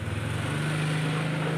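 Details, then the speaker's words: Suzuki Shogun Kebo motorcycle, starter motor spins continuously as soon as the battery is connected, even with key off and button not pressed; starter gets hot: steady whirring hum. "Jadi, baterainya mungkin agak lemah, tetapi ketika baterai dihubungkan , dinamo langsung berputar."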